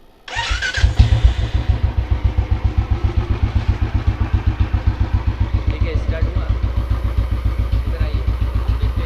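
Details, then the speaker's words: Royal Enfield single-cylinder at 22,992 km, after replacing the starter one-way (self) bearing that had slipped: quick clean crank, engine catches at once with no clunk, steady thump near four beats a second; starter engages properly. "Cell देखिए घूम रहा है या नहीं घूम रहा है, start हो रहा है या नहीं हो रहा है इंजन। कोई आवाज़ नहीं, कोई आवाज़ नहीं।"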